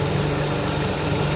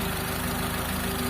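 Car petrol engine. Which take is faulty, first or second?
first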